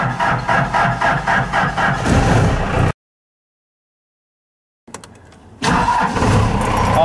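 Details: Cold start of a 4BT Cummins diesel at 33°F, after the block heater ran since afternoon and warmed the block to about 100°F. Steady cranking at about four beats a second, then it catches and runs evenly. Clean start.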